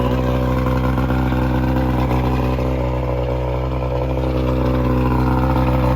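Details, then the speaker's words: Jet boat engine bought in a budget boat challenge, carburetors rebuilt: deep, even burble at a steady idle with no misses, knocks or rattles; runs real good, though one listener thinks maybe 5 of 6 cylinders fire. "Don't start this baby up right now. This Oh, is stiff, dude. Yeah, sounds like it runs real good."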